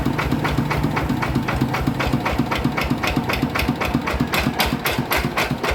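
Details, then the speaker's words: Yanmar 160 single-cylinder diesel idling with a steady hard rhythmic knock about four times a second; bearing failed and loose, spinning in its housing. "น่าจะเป็นลูกปืนแน่นอนนะครับครับผมอ่ะนะครับก็รั่วมาแล้วนะครับสำหรับเครื่อง160นะครับปืนมันตาย"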